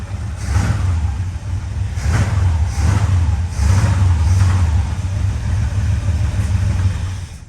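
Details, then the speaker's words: 1935 Plymouth just fitted with a new Edelbrock carburetor, fuel pressure unknown: deep, uneven, lumpy engine rumble that never settles into a smooth idle. Owner suspects poor ignition, possibly spark plugs or distributor; cause unconfirmed. "Sounds like we're not getting very good uh ignition either. So there could be multiple things, but this old girl has been a little bit tired."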